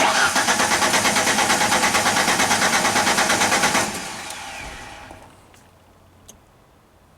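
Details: Genie crank no-start after restoring keep-alive computer power: starter cranks at an even pulse about three per second for nearly four seconds but never catches; fuel pump not heard running, fuel supply suspected.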